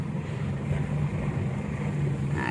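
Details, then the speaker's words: 2013 Mitsubishi Strada Triton GLX pickup driving and turning in 4x4 after replacing left and right CV joints and the transfer chain: even low drone, no clicking, knocking or grinding anymore; normal 4WD drivetrain. "Jadi untuk empat kali empat nih Mantap Lur sudah tidak ada bunyi lagi"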